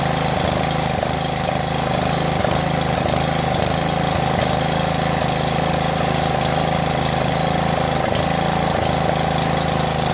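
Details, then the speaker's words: Craftsman LT1500 lawn tractor repowered with a 12.5HP Briggs engine, carburetor, exhaust manifold, starter and stator swapped over: steady single-cylinder putter at fast idle, even firing, no misses or knocks; brief sound was a guide touching; lots of oil in the engine. "how about that man that sound was one of the keepers that guides touching the thing so as you guys see man that thing starts it and there's tons of oil in there"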